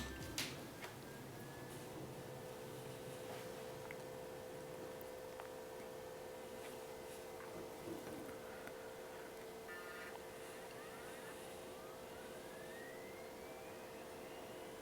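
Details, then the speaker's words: Stock power-supply fan in a Hikvision DS-7608NI-K2/8P NVR, before replacement with a Noctua NF-A4x20: steady mid-pitched whine with airy hiss; the fan is simply loud. "now the reason why I am replacing this fan is because it's pretty loud"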